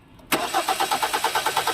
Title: Hyundai Tucson Engine crank but wont Start- Step by Step Diagnosing